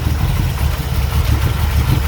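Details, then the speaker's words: 1985 Dodge D150 with 408 stroker Mopar small block, Comp roller cam, Holley 850 carb, MSD ignition, cold start after sitting long, vacuum lines fixed: deep lumpy uneven idle near 400 rpm; rough idle when cold. "Okay so starts running a lot better it's a little rough cold it hasn't started in a while"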